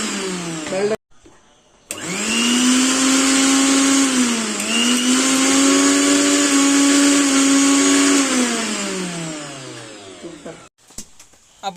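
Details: Mixer grinder after a bush change for a noise problem: a clean steady motor whine that spins up, holds an even pitch and winds down smoothly, with no rattle or grinding; the motor runs healthy.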